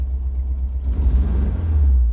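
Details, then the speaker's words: Porsche 914 2.0 just after a new muffler was fitted, idling better but still due a tune-up. The deep, even exhaust rumble swells cleanly on throttle blips and settles back: healthy, crisp throttle response with no misfire. "I'm happy with the throttle response. Let's get this thing on the road for the real test."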